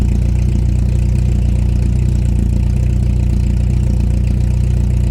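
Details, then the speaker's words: 1989 VW Jetta MK2 1.8L with a louder aftermarket exhaust, after a couple of minutes running: low, uneven, lumpy idle at about three pulses a second, smoking and nearly stalling. It runs fine at first; no vacuum leaks were found and the cause is unknown. "now it starts smoking and running really rough almost to the stalling point believe this is as bad as it's gonna get"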